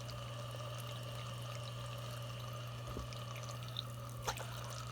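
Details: Frigidaire Gallery dishwasher after the high-level overfill float rod and plunger were freed from the backwards-installed foam barrier. A steady low hum with water trickling into the tub and a couple of light knocks. Now filling normally.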